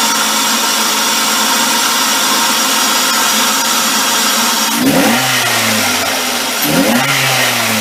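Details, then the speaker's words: 2005 Ford Focus with a $30 aftermarket open air filter replacing the stock air cleaner: a steady loud hiss over the idle with two brief revs, the normal intake noise of the unenclosed filter, louder at idle. "It's got sort of a hissing sound. It sounds really good on wide open throttle on the road, but when you're idling, especially when you first start the engine, it's going to hiss."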